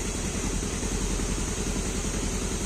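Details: Fuel-injected motorbike with a hard-starting complaint, after replacing the CKP sensor and resetting the standard ISC, engine connected to a diagnostic tool: steady even low putter with a fine rapid beat, no knocks or misses, idling at the normal 1200 rpm; normal idle.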